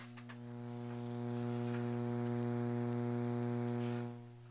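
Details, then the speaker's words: Lenoxx BSR 1970s AM/FM stereo receiver with turntable: constant low droning mains hum with buzzy overtones through the speaker even with volume all the way down; chassis grounding didn't help; owner suspects a bad filter capacitor, not confirmed. "What is that? What is that hum? First, I'd like to thank Mr. Max Arcade for all the help. Um, this video is dedicated to you. Um, I believe you are correct that it is probably a bad filter cap."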